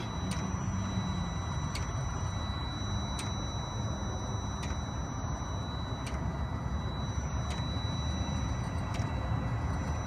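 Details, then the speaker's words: Webasto pre-heater fitted to the engine water circuit of a Ford Transit Custom MK8, silencer removed: steady low burner roar with the dosing pump near the fuel line ticking every second and a half. The tone changes as it heats up; it is running normally. "You hear the tone of it has changed as it's starting to heat up now."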